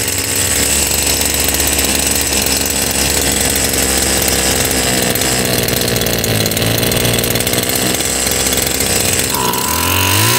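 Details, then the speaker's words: Stihl FS76 brush cutter, over 20 years old, good compression, run with the muffler removed: a steady, high-pitched two-stroke buzz holds even with no misses, then picks up near the end; the carburetor sounds decent, though cold starts may still be a problem. "ok ese carburador se oye decentemente"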